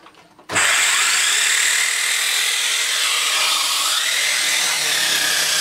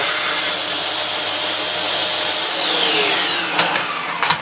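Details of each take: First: Dyson Cinetic DC54 floor tool after refurbishment: harsh high grinding rasp over the motor rush; owner suspects two cogs removed for cleaning were not refitted properly, cause unconfirmed. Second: Dyson Cinetic DC54 after refurbishment, previously used heavily for DIY, running in max mode: steady rushing airflow with thin high motor whine, strong even suction; normal vacuum suction.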